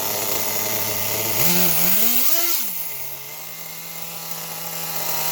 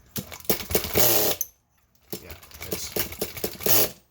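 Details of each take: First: Nitro RC car engine after clearing an over-primed flood, air filter on: high buzzy engine blips twice, cuts out briefly, then settles to a steady even idle without hunting; normal idle. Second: Nitro RC car glow engine, over-primed: short, irregular bursts of buzzy cranking with no catch. Flooded engine that won't start; the fix is to remove the glow plug.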